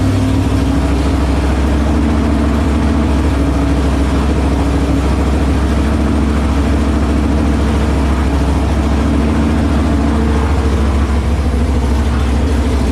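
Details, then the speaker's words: New 408 small block Mopar during flat tappet cam break-in: a deep, steady V8 idle with even lope and only a faint tick. The ticking was traced to the header tapping the oil pan; the engine otherwise sounds healthy. "i don't hear it at all you can hear it but it's not as bad it's because the exhaust like it's it's a little bit of tapping"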